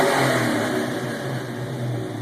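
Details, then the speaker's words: 1993 Mustang LX V8 with custom cam, ported intake and X heads, idle set at 1500 rpm, recorded inside the cabin with windows down in a garage: revs climb cleanly to about 5000–6000 rpm without misses or rattles. Healthy free revving. "all right well I'll give it a couple revs here so you can hear it this is the inside the cabin with both windows down and keep in mind that I am in a garage"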